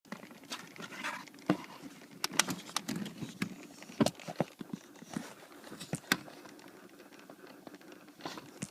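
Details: 2008 Toyota Sienna, light irregular ticking and tapping from behind the dash in a quiet cabin with no motor hum; repetitive HVAC dash clicking, suspected actuator problem, not confirmed.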